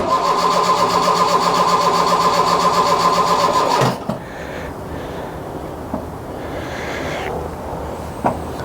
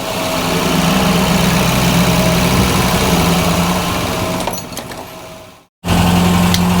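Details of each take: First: Mk1 Ford Fiesta Ghia 1.1 barn find: about four seconds of steady, even cranking without firing. Long crank no-start; the choke wasn't sealing properly, so the air-fuel mixture was wrong. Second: Mk1 Ford Fiesta Ghia 1.1 carburettor barn find, cold engine just started with the choke pushed in, idling around 900 rpm, a bit low, with a steady beat and slight splutter; thought to be a bit choked up.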